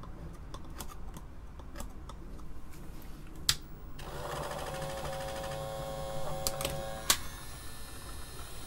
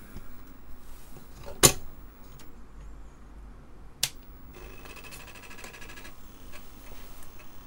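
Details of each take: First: Apple II Plus Disk II floppy drive on the bench, under repair: after clicking, a thin steady high squeal holds as the spindle motor runs flat out with wrong drive speed. Disk drive spindle motor overspeed squeal. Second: Apple II Plus Disk II floppy drive after teardown and repair, successfully booting from disk: a few sharp clicks, then about 1.5 seconds of rapid, even buzzing chatter as the head steps. The drive sounds healthy.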